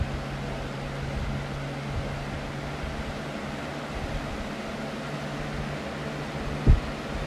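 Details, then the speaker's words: Lasko 3720 Weather Shield box fan running: steady whoosh with a motor hum whose pitch slowly rises and falls, motor speeding up and slowing down; owner suspects the fan motor may be burning out, unconfirmed. "sounds like the motor is speeding up and slowing down and speeding up slowing down not exactly sure what that is that could be an indication that the fan might be burning out huh"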